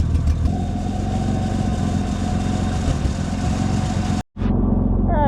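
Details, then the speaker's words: Ford Explorer (2000 or 1995) after an oil-leak fix, with mud and water having gone into the engine: a steady idle with a sharp, raspy puffing in time with the firing; a pretty bad exhaust leak. It stalls randomly but is starting to smooth out. "that sure is good to see again it's pretty bad exhaust leak but wait till I show you the exhaust"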